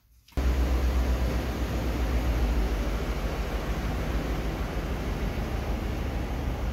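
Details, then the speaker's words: 2013 Ford F150 reversing with the phone mic by the fender, after rear brakes that squealed while camping: only a low steady rumble with no squeal; brakes quiet today, owner unsure whether it is fixed. "Well, that sure is surprising, because up camping it was squeaking like a dirty bugger. But now it's not."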